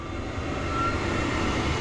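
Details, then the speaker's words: Noritz N-0751M-DV tankless water heater after replacing failed bypass valve (error 66): clicking ignition, then steady, even rushing roar of burning gas with no popping or sputter; normal burner firing. "open this slow click click burner on light you could hear it kicking on the actual fire"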